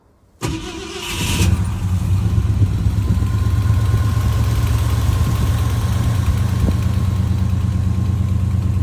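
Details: 1971 Ford F250, long parked, mid-winter after an ignition and carb tune-up for a sometimes no-start: it cranks briefly, catches right away and settles into a steady, even low idle rumble with no stumbles. Normal idle.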